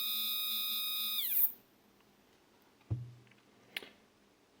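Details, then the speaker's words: Stepper motor previously used on a printer's X/Y axis, run alone at feed rates of 1000–3000: a clean high whine that slides down smoothly as it slows and stops. Each motor behaves the same when connected separately, which is normal. "ERS are behaving exactly the same when they are connected separately"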